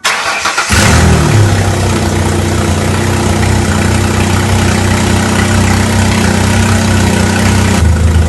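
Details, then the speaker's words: 2004 Mercury Monterey with misfire codes P0300–P0303 and P0316, just after a soldered and heat-shrunk ignition harness repair: engine catches and settles into a steady even idle with a smooth low hum, no stumble; misfire gone. "okay no more misfire so harness is complete as good as I can get it"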